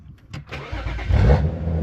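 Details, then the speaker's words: BMW 335i (E9X, N54/N55) with fuel pump power disconnected: brief crank, then engine runs rough and sags until it dies from fuel starvation, deliberately bleeding off fuel pressure before fuel pressure regulator install. "And it should die out. There we go. Finally died, so just go ahead, cut it, take out the key, you're good to go."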